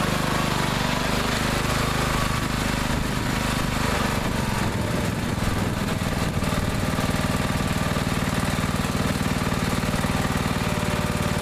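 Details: Neglected riding mower after repair, fresh gas, fuel shutoff, filter and hose clamps redone, started on jumper pack due to weak battery: steady, even single-cylinder chugging, no surging or missing; now runs perfectly.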